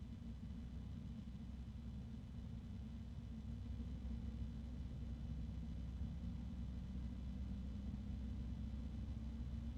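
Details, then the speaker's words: PC case fan compared with a Noctua: steady low hum with a faint rubbing hiss; friction noise plus low-pitched drone. "let's compare it to the noctua now and I can hear I can still hear that friction noise plus the no the low pitched drone which is I don't think it'd be too bad in a case"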